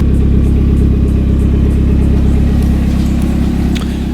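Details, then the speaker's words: Exhaust after re-torquing and reinstalling, let run after fixing a bad-sounding exhaust: smooth, even low idle rumble with no ticking or leaks; quiet, most sound now exits the rear, tone essentially unchanged; normal exhaust note. "positive is most of the sound is actually coming out of the back now instead of the front so that is main goal achieved it's very quiet it changed like little to nothing about the tone of the exhaust at all"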